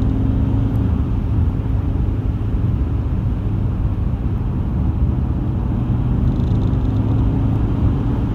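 Steady low droning rumble with a faint hum as the car pulls under acceleration, a vibration whose cause isn't yet pinned down.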